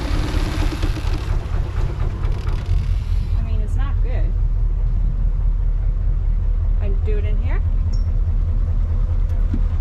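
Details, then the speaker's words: Boat diesel engine clicked into gear: a heavy, low thump with an uneven, lumpy beat. It sounds the same after the injectors were done, so a head gasket is suspected. "so that sounds you know pretty bad to me and it sounds the same after i did the injectors so to me it sounded like what a lot of you have said is that it's probably a head gasket"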